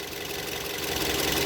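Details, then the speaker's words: Used car engine started and idling, recorded with the bonnet open right beside the engine during a used-car condition check: steady even idle with no knocking, tapping or other extra noise, a healthy engine. "Just गाड़ी के engine का जो अपना original sound है वो आ रहा है। Right left में कोई एक्स्ट्रा नॉइज़ जो है हमें गाड़ी में सुनाई नहीं दे रही।"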